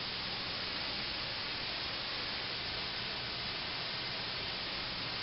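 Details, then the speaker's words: Fogless mist coolant nozzle with needle valve closed, passing 15 psi of air only, no coolant (coolant tank pressurized to about 20 psi): smooth, steady high air hiss with no sputter; normal. "that's 15 psi of air right there no coolant"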